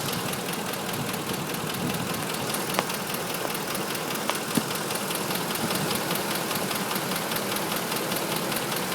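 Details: 2005 Ford F150 5.4L, just under 89k miles, Motorcraft 5W-20 oil; quick steady top-end ticking/knocking at idle, now at all RPMs; dealers suspect cam phasers, not confirmed; check engine light on from unplugging VCT.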